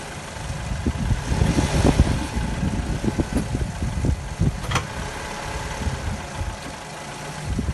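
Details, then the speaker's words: 2004 Mazda 3, 2.3 L automatic, 215,000 miles, shifting D to R, heard from driver's seat: rough uneven idle with one sharp clunk; mounts checked good, lower rear mount replaced, noise persists, owner suspects it comes from the wheels. "the engine's not moving much so I think the motor mounts are all good and the noise seems to come from the wheels themselves you know way out at the ends that's what it sounds like from the driver's seat"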